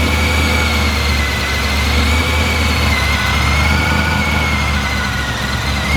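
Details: Blown 383 stroker LS1 V8 in a VY Holden One Tonner ute, idling on a base tune after its first start: a steady, even, deep smooth burble with no knocks or misses; running cleanly.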